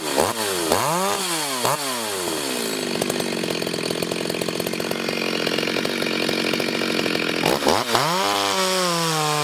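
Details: Freshly ported Stihl 026 chainsaw on shakedown cuts in hard wood, fan noise in background; blips then a strong steady high-pitched scream through the cut without bogging, clearing cleanly; healthy saw.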